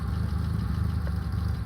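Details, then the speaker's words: 1967 VW Splitscreen camper air-cooled flat-four idling after the choke kicks in: steady, low, even putter with no knocks or misses as it ticks over smoothly; healthy, though the van needs a bit of a clean. "The choke kicks in and then then she goes to tick over. Look. Can you hear that? She's ticking over now."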